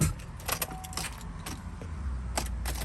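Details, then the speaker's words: Camaro brought in for an oil change, still at operating temperature: turning the key gives only scattered sharp clicks and no crank; gauges show the battery isn't dead, so a mechanical failure, likely starter or solenoid, is suspected. "Hear the clicking. Now, according to our our gauge assortment, we don't have a dead battery. So, we actually probably have a mechanical failure."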